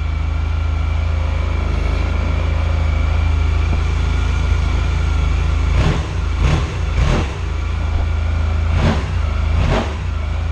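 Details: 600 cc scooter with 38,000 miles; deep, even idle with a few quick throttle blips that rise and settle cleanly; engine sounds healthy.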